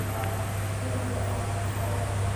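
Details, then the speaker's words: Aqua washing machine spin motor after repair: steady low hum, smooth even spin with no squeal; the earlier loud screech was cured by lubricating the dirt-fouled shaft and bearing. "Jadi, dengan melakukan ini, poros dan bantalan tempat kotoran menempel akan terlumasi dan tidak akan menimbulkan suara lagi."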